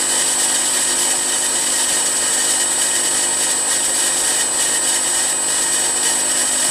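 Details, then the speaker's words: Milling machine M head after new pulley-housing bearings, VFD at 45 Hz on highest pulley speed: even steady running with faint high motor whine, no rumble or grinding; pulley bearings healthy, some motor noise remains. "that sounds really promising the the spindle or the pulley housing is very quiet there's still that noise in the motor"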